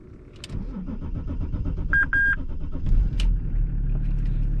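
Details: BMW E39 525tds, 2.5-litre turbodiesel inline six of 143 hp, started in winter: a short burst of cranking, then it catches at once and settles into an even idle; a healthy cold start.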